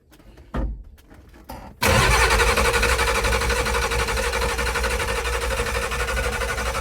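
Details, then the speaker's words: 1986 Ford service truck, 7.3 IDI diesel with new straight-pipe true dual exhaust: a second of halting, uneven cranking before it catches and settles to a steady, quieter idle; glow plugs are suspected of causing the hard start. "plugs make it hard starting. See what I mean? It's weird."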